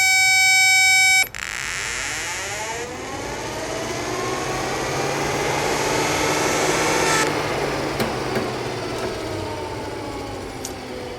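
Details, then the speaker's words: 2002 Jeep Liberty 3.7L with an overheating complaint, radiator fan fed 12 volts and ground directly at its connector: it spins up with a rising whir to a steady, even rush of air, no grinding or rattle. Fan motor works normally. "so our radiator fan is working. Okay, now that we know that the fan actually works by controlling it over here at the connector with the power and ground, we have to go and check everything else before the fan."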